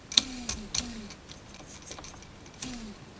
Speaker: with your fingernail and the screwdriver at the same time it's a little noisy